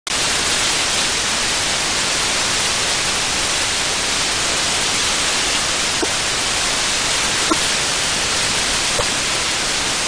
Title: Vacuum leak detection on condenser - With Ultra Pro Distran ultrasound camera